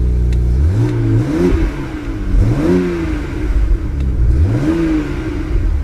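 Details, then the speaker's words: Cheap Camaro SS at auction, fan checked spinning freely, low coolant warning only: clean revs climbing and falling smoothly, no knocking, ticking or rattle; healthy engine. "engine sounds good there's no warning lights other than low [Music] coolant"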